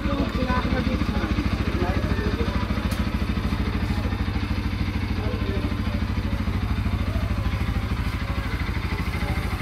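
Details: Pulsar NS200 BS6 single-cylinder after repair of a broken rocker, cracked valve seat and a bearing that lost balls into the engine: even, steady idle about three beats per second, no knocks or rattles; normal idle.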